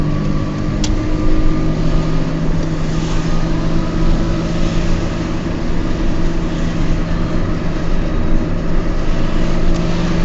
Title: Noisy bad wheel bearings in my Peugeot 206